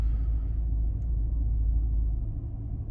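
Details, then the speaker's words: 2005 Maserati Quattroporte, 4.2 litre V8 Ferrari engine, warm as the cooling fan comes on: smooth, steady low rumble; idle holds okay, slight jumping possibly from plugs, fuel or injectors. "And it seems to be idling okay. jumping slightly, but that just feels like it could be plugs or fuel delivery or something like that."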